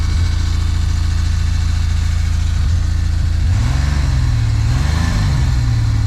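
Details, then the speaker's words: 1974 Plymouth Duster slant six with 904 transmission, sitting since 1987, first start: low steady idle with even firing and a brief rev blip settling back cleanly, no backfire; likely run without coolant. "but hell it runs it runs good too wasn't it backfiring or nothing hell yeah"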